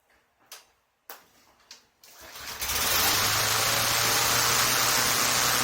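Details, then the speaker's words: 2023 Craftsman M110 (11A-A2T2793) mower after seasonal maintenance, cold start with no primer bulb or choke. A few recoil pulls, then it starts and settles into a smooth, steady run; first pull on the second start; no leaks: normal. "These machines have no primer bulb or choke to operate. Slingshot engaged... Good. Smooth. 2nd pull start! 1st pull on the second start."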